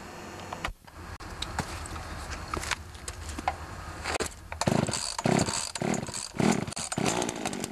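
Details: Pioneer Partner P500 50cc chainsaw with external choke, slightly dull chain: uneven bursts of two-stroke rasp as the saw catches and is blipped, settling toward clean revving; sounds like a sound, healthy saw.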